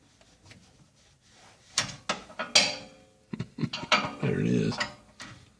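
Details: 2015 Polaris RZR 1000 XP4 engine turned slowly by hand with the valve cover off: irregular metallic clacks and slaps as the exhaust cam load reverses and the timing chain goes slack. Owner and Polaris suspect a failed timing chain tensioner causing occasional severe knocking.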